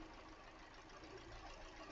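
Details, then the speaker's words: 2013 Hyundai Elantra with a flashing check-engine light, after a new ignition coil on cylinder 2 improved it: quiet idle with an irregular stumble and uneven thumps; still misfiring. "So number 2 is definitely making a difference. Still got a misfire though."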